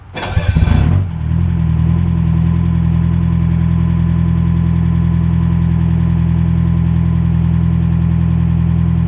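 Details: Detroit Silver Series 4-53T turbo diesel: brief crank, then a steady, quiet idle after the exhaust fix. The 1600–2000 rpm drone was cured by replacing the 5-inch resonator with two 24-inch, 4-inch resonators adapted into the 5-inch exhaust; exhaust note is barely audible.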